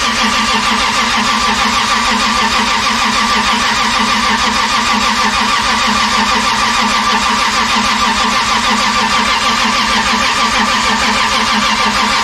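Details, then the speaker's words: 2JZ engine project during a start attempt, belt-driven accessories and aftermarket ATI crank pulley fitted: long steady crank with rapid even chuffing and no firing for twelve seconds, fuel pump deliberately disabled to build oil pressure. "well it's not starting but it's pretty dang cool to have it make some noise even if it's not idling and starting noise pretty awesome to see the engine turn"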